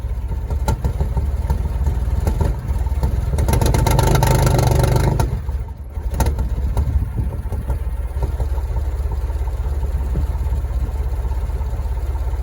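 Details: Porsche Boxster barely running: uneven, shaky, lumpy idle, a short rev blip, then the same stumbling idle. Owner suspects it is running on only three cylinders; not confirmed.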